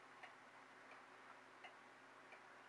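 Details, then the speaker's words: Regulator clock after calendar hand repair, case closed: crisp, evenly spaced ticks roughly every 0.7 seconds in a quiet room; a steady, healthy beat. "close it up there we go there's the regulator ticking again"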